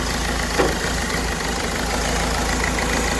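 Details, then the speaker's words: Ford Figo, 94 km, code P0203: rough, lumpy idle unchanged when cylinder three injector connector is pulled; that injector has shorted, causing the misfire. "Open folder हो गया है तो यह injector shot हो गया है तो ठीक है इसका शॉर्ट हो गया है"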